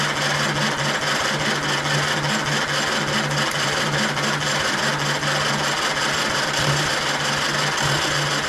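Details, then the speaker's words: 1935 Austin 7 engine on a 12 V boost, full throttle, no choke: steady even cranking churn with a low throb and occasional firing stumbles that never take hold, battery running down; cranks but will not start. "fire m did you hear it was beginning to go there a little bit beginning beginning but we're going to run out of battery"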